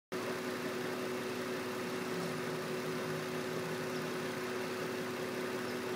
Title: Weird noise on Infiniti G35 '04 coupe